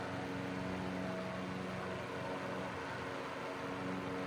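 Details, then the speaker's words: 1941 Gilbert 12-inch fan on low speed drawing 0.51 amps on 120–125 V: smooth steady hum, even whoosh of air, no rattles or ticks; normal running. "It has a really nice sound to it. I really like this fan."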